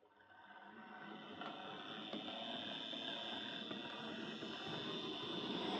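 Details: Hornby Dublo R1 0-6-0 tank loco, possibly about 60 years old, heavily run with brushes worn right down, on layout after motor adjustment; loud rising buzzy whir and gear chatter. Excessive running noise.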